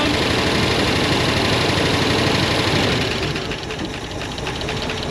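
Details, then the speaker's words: IH 4x4 Loadstar, an old fire truck, running on fuel poured down the vent with the choke pulled a little: steady, even beat of about four pulses a second with crisp mechanical clatter, sounds real good; normal running. "Let's uh pull the choke a little bit and see if it'll stay running. Sounds real good."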